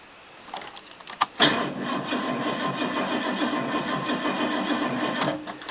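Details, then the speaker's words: Car cranking on a new battery with a 40-year-old cable from a Series 1 XJ6, after several old batteries failed to crank it. Strong, even cranking for about four seconds with a steady whirring churn, never dragging: normal cranking. "Now let's see how this sounds cranking, or if the starter takes a shit. Ooh, it actually turns now. Consistently."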